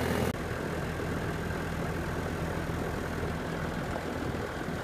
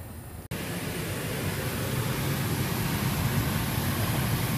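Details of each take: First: Central AC condenser on R-410A after a new capacitor and filter and adding 6.7 lb refrigerant, previously compressor droning with fan not running: steady, even hum from compressor and fan, no clicks or surging. Normal running. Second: R-410A AC unit (84°F outside, 82°F inside) kicks on into a steady compressor drone with the condenser fan not running: a failed run capacitor. The fix was replacing the capacitor and filter and adding 6.7 lb of refrigerant.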